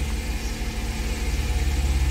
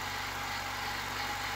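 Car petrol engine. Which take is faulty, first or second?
first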